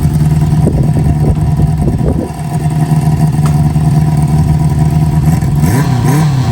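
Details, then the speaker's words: 1973 Harley-Davidson Sportster, choke on, Seafoam in tank: even steady V-twin idle with loping low beat and brief throttle blip; runs smoothly, normal idle. "all right she's running pretty good I uh I like to start it up at least once a week now and run it"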